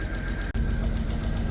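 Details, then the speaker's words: 1991 BMW 750iL storage-unit find, just started, no check engine light: low idle with uneven stumbling pulse, one cylinder seeming to drop out; misfire suspected, vacuum leaks or spark plugs unchecked, odd mass-airflow noise earlier, car in limp mode. "No check engine light. Nope. Sounds good. You know, that misfire, but I don't know about any vacuum leaks or any spark plugs."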